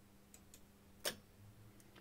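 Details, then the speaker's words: DIY two-transistor control circuit driving a coaxial relay, switched by RF detection when the transmitter keys: one sharp, clean click with faint ticks as the relay goes from RX to TX and power passes; normal relay switching. "we see immidiatly that it went from RX to TX and we have power!"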